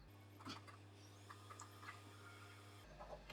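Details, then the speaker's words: Sony PlayStation 5 disc drive, sold faulty for not reading discs, after disassembly, cleaning and reassembly: low steady motor hum with light clicks, then stops cleanly; disc loads and is recognized. "let's try again alright sounds like it's struggling but maybe it just sounds like that anyway i don't know but it's been recognized"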